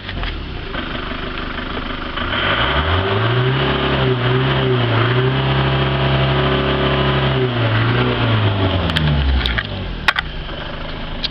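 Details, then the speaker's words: Ford Transit 4-berth motorhome with power steering, bonnet up, after a 215-mile drive: engine catches quickly, revs smoothly and settles to a steady even idle with no knocking or misfire; runs healthy. "I'm gonna start the engine up and let hear it run but I can assure you that after 200 after 215 miles I know it runs absolutely perfect right"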